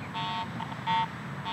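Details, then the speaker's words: Garrett AT Pro metal detector swept over mineralized soil above a nickel coin buried 8 inches deep for a year: irregular short mid-pitched bursts with no steady target signal, only ground response from improper ground balance. "I'm not consistently or even at all picking up a good Target signal I'm just getting ground response because I'm improperly ground balanced"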